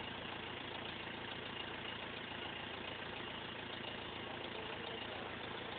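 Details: BMW E46 320d 150 hp four-cylinder diesel, first start after overhaul fixing swirl flap failure: smooth even clatter, steady idle, no knocks or misses; normal diesel idle.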